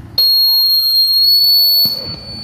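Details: Microphone feedback howl on a mic and amplifier before fitting a noise-reduction circuit (two 6.2 kΩ resistors and capacitors), mic volume unchanged: a sudden piercing squeal with a wavering lower whistle as speaker sound loops back into the mic.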